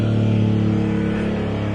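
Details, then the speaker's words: Engine started after no-start diagnosis with basic tools, catches and flares to a high, steady rev that hangs instead of settling, with smoke; gunky, sticking throttle cable, freed up afterward. "we got this car running seems like it's working now that when i first started it you could hear it was really revving out high rep and it's because the throttle cable is really gunky but it seems like it's freed up now so all right that's a fix"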